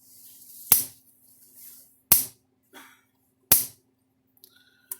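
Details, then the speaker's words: Cyclops Super electric fence charger after repair of lightning damage on the AC power cord side: spark jumped from fence to ground gives sharp, loud consistent snaps about every 1.5 s; strong normal output. "sharp hot shot coming from this thing I mean it hits harder"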